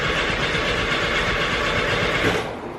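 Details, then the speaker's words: 1973 VW Bus after alternator replacement (jump box hooked up backwards), dash fuel pump switch on; steady cranking, never catches, no fuel pump buzz; fuel pump wire found disconnected. "I'm just gonna go back here and look because normally you hear that fuel pump don't you I think I figured it out fuel pump wire wasn't connected"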